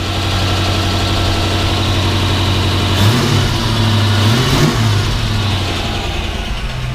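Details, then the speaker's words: 1989 Ford Mustang GT (Fox body) after starter stuck cranking from a failed solenoid: idle with a rev blip and faint rasping scrape from the flexplate area; owner suspects flywheel touching the block plate or starter problem. "you hear that scrape it's really not even doing it right now i'm sure it'll start"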